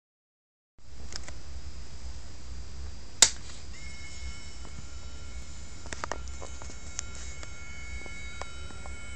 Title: 60W led driver with hissing sound